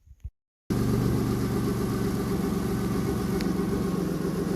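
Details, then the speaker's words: Subaru SVX after ECU repair, cam/crank sensor issue and vacuum leaks at air box, exhaust leaks suspected: catches and settles into an uneven, lumpy idle, seemingly dropping a cylinder or two; rough idle, cause unconfirmed. "Man, don't mind all that. I'm sure we've got a couple exhaust leaks. Hell yeah. Sounds like it's down a hole or two."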